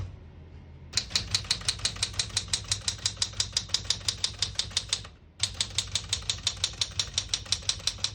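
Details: 1973 Smith-Corona Galaxie 12 portable manual typewriter with a 12-inch platen, serviced: crisp, even keystrokes about three a second with a short pause midway; all functions working normally.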